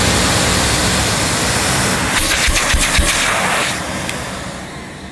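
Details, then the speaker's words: Hoover S3132 Sensotronic System 3 vacuum cleaner, probably from 1982: the motor runs with a loud, steady rushing roar and a few handling clacks, then winds down. The motor sounds fine with good suction, though the power switch behaves oddly. "so that's a little bit dodgy the motor though that sounds fine it's got It's got good suction on it"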